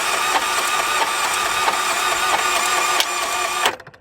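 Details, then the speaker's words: Salvage-auction car with mechanical total: starter spins the engine fast and evenly with no compression strokes; something let loose inside, possibly timing chain, suspected no compression, not confirmed. "all right so let's see here we got a start button right down here oh you guys hear that it's got like no compression"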